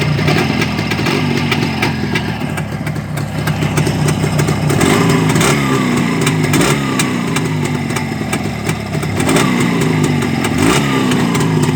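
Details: Black CZ two-stroke engine after repair: crisp idle with steady popping, then clean rising and falling revs picking up sharply; runs smooth and even, normal idle and revving.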